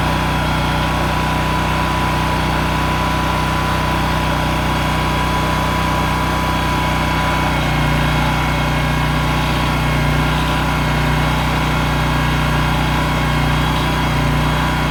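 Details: Honda EM6500SX electric-start generator, choke open, suspected overfilled oil or stuck carb needle valve, running a heat gun through an amp/watt meter: holds a steady, even drone with no surging, misfires or knocks; running healthy under light load.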